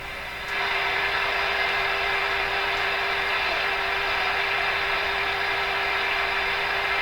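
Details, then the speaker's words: RCA A-32 Globetrotter radio during band listening test: constant hiss with steady mid-pitched tone over the band, disappears when nearby soldering iron is switched off; interference from the soldering iron. "What did I just do that got rid of all that noise? My soldering iron. Wow, that's not very good."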